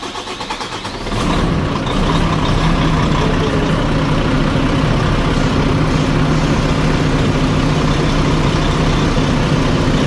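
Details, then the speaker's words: Volvo FH4 diesel truck at about 100,000 mileage, with a reported engine knock, cold winter start: cranks about a second, catches, settles into a steady even idle; starts well but slowly. "Хорошо заводится, но долго."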